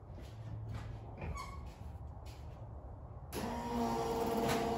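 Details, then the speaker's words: 1974 Plymouth Duster 440 project, newly replaced electric fuel pump first energized: steady, even electric hum and whine, fuel returning, about seven psi pressure, no leaks; normal pump operation. "plenty of noise all right nothing leaking on the floor and I can hear it returning we're right at seven pounds of fuel pressure so that's all good news"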